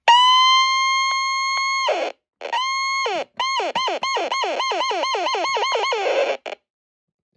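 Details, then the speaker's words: Aging NOAA weather radio, model 74109, on alert test: a clean high alert tone cuts out, then returns as choppy, warbling bursts dipping in pitch; distorted alert, faulty with age. "Now, the alert test on this one is kind of messed up since it's getting old."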